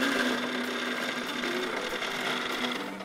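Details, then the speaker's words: Hornby R.357 Class 31 diesel locomotive from a 1972 Freightmaster set, run back and forth on a controller unoiled as received; thin whirring with squeaks and rasping from a very dry motor needing lubrication. "but um it's a very very dry i think so now you can hear hear squeaks and all sorts there"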